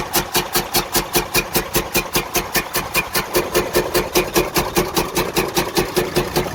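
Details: Freightliner Cascadia DD15 diesel at idle: loud heavy very regular knock about two and a half times a second; major internal damage, engine needs overhaul.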